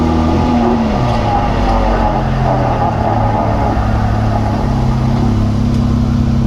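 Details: Jeep JK with 205 transfer case, driving: steady low hum with constant whine over road noise while cruising; owner thinks it comes from the rear differential.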